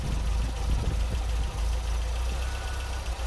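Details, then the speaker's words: MGB GT idle after retuning: timing set at 10 degrees, advancing to about 32-34 at 3000 rpm; mixture check on each side gives a slight rev rise that settles back; mixture judged about right after earlier splutter. "we can hear it just increase slightly and then settle back down, and the same on the other side. So I think I've now got that about right."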